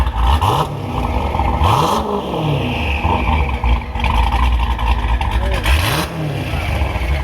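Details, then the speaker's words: Dodge Charger Hellcat V8 with a Hellion twin-turbo kit, after the exhaust was finished and a flange changed to cure earlier exhaust-leak ticking: clean, crisp throttle blips with a light turbo whistle over each rev. Healthy revving, quieter engine. "You guys hear how quiet the motor is? Listen. Wow, you can hear the turbos more and everything. This thing sounds ridiculous. So much cleaner."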